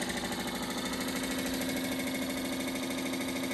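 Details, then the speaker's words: 42-year-old Suburban NT24M furnace blower motor bench-powered, loud: steady hum with fast even rattle two to three beats a second; owner suspects too much play, maybe squirrel cage adjustment or loose motor. "I have a feeling this motor is I don't know what's going on with it. It's got too much in play or something weird going on."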